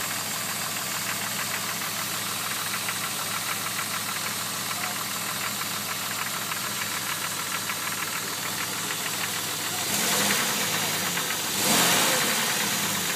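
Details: Jeep WJ with the engine running: steady light tapping about three times a second, fairly even; owner unsure whether it's a problem; engine knock of unknown origin.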